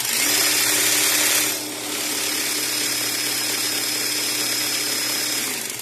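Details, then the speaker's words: Small 40 V Taiheui motor run from a 20 V AliExpress grinder control board: steady high-pitched whine that dips briefly, then holds an even pitch with no rattle or cutting out. Brushless motor running normally. "Pas de problème de fonctionnement."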